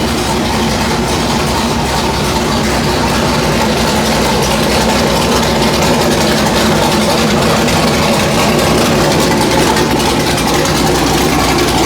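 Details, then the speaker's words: Factory Five Mark 4 Roadster engine on the run stand, fired one last time before removal for installation in the chassis: loud, raspy, even exhaust note holding a steady idle with no knocks or misses; runs healthy. "So I wanted to hear it. Everything still runs great. Sounds really nasty."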